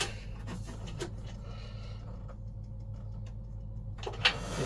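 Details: Yamaha Virago rear wheel refitted after fixing a metallic squeak found when the wheel was first fitted: only a soft, steady whir as it spins freely, no metallic ringing or rubbing.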